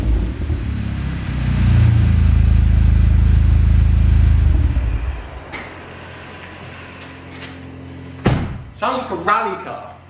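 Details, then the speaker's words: VW Golf GTI (salvage) just fitted with IS38 hybrid L500 turbo and full exhaust, in workshop, not yet bedded in: deep loud rev for a few seconds then drops to steady low idle, smooth; normal revving, louder than hoped. "well it sounds like a rally car so not too sure that was the uh the noise i was intending for i was hoping it'd be a bit quieter than that"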